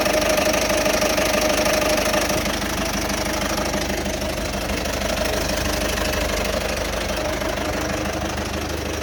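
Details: 2008 Citroen Berlingo 1.6 HDi diesel at idle: rough, loud, with uneven clatter about three times a second, started August 2021 despite new timing belt, water pump, turbo, EGR valve and fuel sensor; no fault codes; cause unknown.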